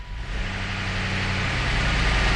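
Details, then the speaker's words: BMW E53 first start after sitting about 3 years, following a fuel pump no-start fix. Catches and settles into a steady idle with busy top-end ticking; oil drained from the lifters, which need 5-10 minutes of running at speed to pump back up. "yeah the the valve train's super noisy there the thing sat for three years so all the oil drained out of the lifters you got to get those pumped back up"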